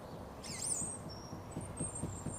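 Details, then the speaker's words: Car raised, wheel off the ground and rocked: soft dull knocks about four a second from play in a worn lower ball joint, which can cause drifting, tyre wear and misalignment; joint replaced with a removal kit. "the lower ball joint in this case theot told me I just about got away with it tiny movement it can cause you to kind of drift a bit when you're driving"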